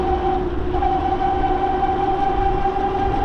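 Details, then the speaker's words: Bafang G900 (H640) 750W hub motor e-bike, Flipsky 75100 Pro V2 controller, 60V 16s3p battery at 22A, riding in cold weather: steady high whine at one pitch over road rumble; motor noticeably noisy on 60 volts. "So, this motor little noisy on 60 volts."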